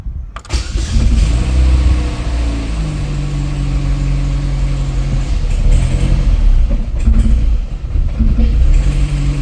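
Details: Opel Astra G SRi Z22SE engine cranks and catches briefly with uneven revs but never settles into a steady run; throttle butterfly heard moving. Crank no start, cause unclear.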